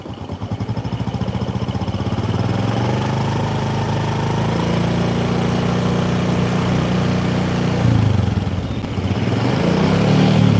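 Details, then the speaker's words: Supra motorcycle limited to 100 km/h, small revs from idle: dull rough rumbling knock at mid throttle, heard around 4000-5000 rpm, related to lugging in high gear; crankshaft bearing noise. "tak jamin goyang dan putarannya agak kasar Kalian Dengar suaranya agak stroke kalau nggak denger berarti kalian belum Sakti"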